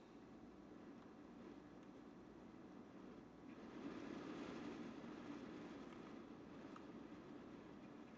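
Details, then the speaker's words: Vetroo Lurker V360 AIO cooler, three 120mm aRGB fans (800–1800 rpm) turned up toward max: soft fan rush swells louder then eases back, fans hunting in speed; cause unclear. "you see like they're slowing speeding up and then slowing down i'm not sure if these are the fans or what the heck is going on with them"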